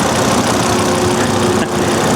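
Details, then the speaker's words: 2004 or 2005 AWD Volvo XC70 salvage auction purchase, first start, recorded close under the hood: even, quiet steady idle with constant hum, no knock or miss; runs perfect. "it runs it runs perfect look at that engine and it's quiet so quiet"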